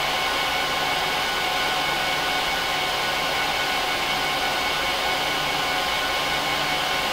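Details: HP ProLiant DL380p Gen8 server, all 24 DIMM slots with 4 GB sticks, eight 300 GB 10k drives in RAID 5, both power supplies, no cards: during POST and boot, a loud steady rush of air with no rattle. The fans run at full speed, which is normal, and quiet down at idle.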